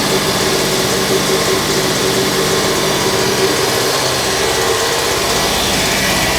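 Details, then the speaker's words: Large Backer 111/2 two-cylinder air compressor (custom pump, rated about 1560 L/min), first run after purchase: loud, steady, even chugging with no knocks, rattles or surging; healthy running. "that runs like a Beauty"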